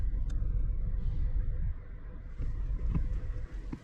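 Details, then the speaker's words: Engine at idle with check engine light on, misfire code P0301 (cylinder 1), faulty ignition coil suspected: RPM a little low, felt vibration, irregular thump and stumble of a single-cylinder misfire. "engine RPM is a little low and I can fill in that I can feel that there is a engine vibration"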